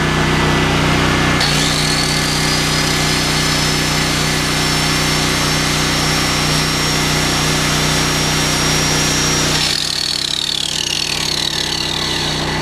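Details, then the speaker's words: Smarter Tools STGP-3500EB 3500 W generator, 196cc 6.5 HP air-cooled OHV engine, first start, with a 600 W load switched on and off: even high drone holds pitch, speed and frequency unchanged; governor working normally. "Boy, it doesn't even speed it up or slow it down. Look at the frequency."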